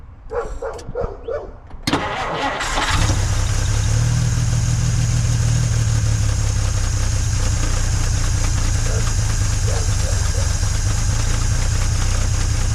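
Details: 1950 Dodge Meadowbrook after swapping to a 6-volt battery: starter turns over lazily for about two seconds before the flathead catches and settles to a steady low idle; slower cranking than before, ammeter happier, strong fuel smell.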